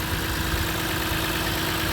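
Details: 2006 Lexus IS250 AWD, running after a no-start, no-crank fix with security light still flashing: smooth, steady idle, constant low hum, no knocks, misses or rough patches; normal idle.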